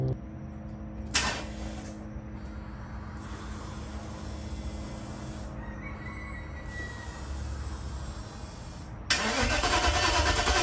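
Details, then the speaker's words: 1995 Mercedes S500 W140 with a rough idle and poor acceleration after sitting, first start after replacing a badly clogged fuel filter: cranks briefly, catches cleanly, settles into a smooth, even V8 idle with no stumble; fuel issue fixed. "Startup, that was the issue. It's definitely a fuel issue, and I know a lot of people forget about this."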